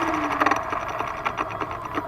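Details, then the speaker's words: RC model aircraft motor making a fast, even ticking buzz with a faint rattle that it did not make on the bench. Suspected shot bearing, not confirmed. "something in there all right i may have a shot bearing we'll see i hope i don't lose a whole damn thing in flight"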